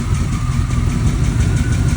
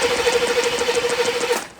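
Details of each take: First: C4 Corvette after the hot no-start and VATS code 46 fix, idling to warm up before a hot restart test, engine light still on: deep, steady idle with an even low pulse and no knocks or stumbles; running smoothly. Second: C4 Corvette, injectors not firing on the noid light: fast, even cranking with a steady starter whine that never catches, then stops. A no-spark crank no-start caused by lost power at the distributor.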